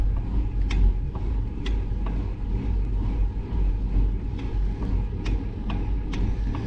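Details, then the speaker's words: Bicycle ridden on hilly roads: sharp uneven ticks about once a second over wind and road rumble; rider hears a knock seeming to come from the front wheel, cause unknown. "My bike's making this knocking noise. I don't know why, I don't know where it's coming from. It sounds like it's coming from the front wheel."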